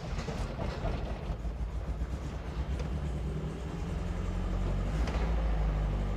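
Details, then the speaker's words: Triumph TR7, very old, after a Wilwood brake fit, idling in neutral: heavy, uneven low rumble with loose knocking about four times a second; horrible noise, source not identified. "uh let's start it up we're in neutral whatever horrible noise that is making it is"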